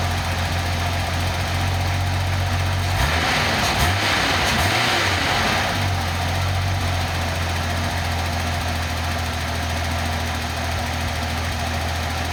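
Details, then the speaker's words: Nissan 280ZX turbo engine on a test stand, ECU in closed loop with green light flashing: steady low idle with a short hissy throttle blip settling straight back to an even beat; normal healthy idle, ECU works fine. "okay so from what I can see that ECU works just fine which is great"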